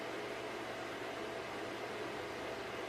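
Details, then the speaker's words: Packard Bell iMedia S3720 desktop booting into Windows after BIOS defaults reset: constant loud airy roar with faint low hum that never backs off, rear case fan stuck at full speed while other fans seem normal; cause suspected, not confirmed. "starting Windows does it really have to be this loud"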